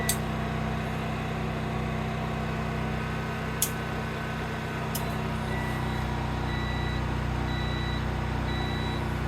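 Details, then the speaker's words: Sungold inverter running from a generator for over an hour, batteries stuck at 49.2 V and not charging: a low hum with a constant beep a couple of times a second and no error code shown. Inverter constant beeping. "and we still have this consistent beep a couple times a second"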